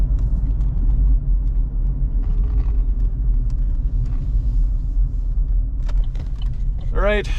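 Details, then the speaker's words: 2014 GMC Terrain test drive after replacing wheel bearing (previously noisy at certain speeds): steady low road rumble at cruising speed with no growl or speed-related hum; nice and quiet, normal wheel bearing. "get these other ones in here all right let's see how we did [Music] can I already tell you it's nice and quiet"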